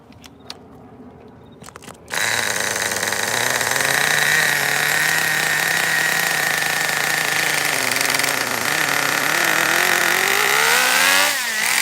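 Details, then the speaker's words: Kyosho nitro RC Baja Beetle restarted on the table and held up: the engine fires after a few pulls and buzzes high and clean with throttle; it is healthy. Forward and reverse engage, but power is lost in the drivetrain, possibly a bad diff. "okay well the motor is obviously fine the gears are fine i kind of uh lift it up like this and gave it some throttle both forward and reverse seemed uh correctly engaged"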